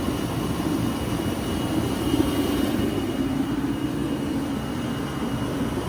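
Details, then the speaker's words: Waste-oil shop heater restarted after it was closed wrong and the fan hit the casing: even, steady roar with a faint high whistle and no sputter or pulsing; burner lit and firing smoothly. "But once you let it go, fires right up."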